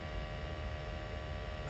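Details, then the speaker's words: LPG Glow-worm boiler fitted a year ago, after adjustment to cure a whooping noise, firing at 100% on a running tap: low steady burner hum, no whooping or pulsing; sounds normal, settling toward 10.3. "it's hard to tell because you're not comparing it into what it did sound like, but there's not a lot of noise. You can hear the tap running. We're fired up on management, 100%."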